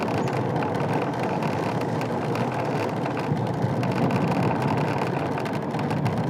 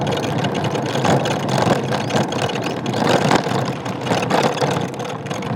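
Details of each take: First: Ola S1 electric scooter ridden after service fixed the dashboard rattle that began after a 160 km rough-road trip: steady road and wind rush, no buzzing or rattling from the dash; panel now quiet. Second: Ola S1 electric scooter: a loose plastic buzz and rattle over steady road and motor noise, flaring on bumps, from the dashboard panel; it started on a 160 km trip over rough road.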